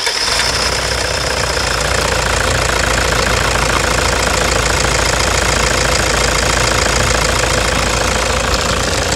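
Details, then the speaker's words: 2009 Toyota Hilux diesel idling with a stuck injector nozzle, before repair: very loud sharp knocking about two hits a second with rough shaking running, vibration and misfire. "essa Hilux cinza aquele que está no box ela tá com grão-de-bico e o bico está travado certo e para você ter uma ideia ela está castanhando alto tá tá mas muito alto"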